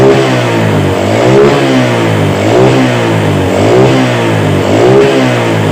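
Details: Yamaha Vega R motorcycle after its faulty carburetor was serviced and refitted. Throttle blips rise and fall about once a second with crisp pickup and no stumble or popping; normal revving.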